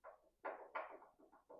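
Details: 1970s Plymouth Duster door hinge, door removed, worked by hand before rebuild: uneven dull clunks with a short metallic knock each swing from worn hinge pins and bushings; pins to be punched out, drilled, new bushings and pins fitted.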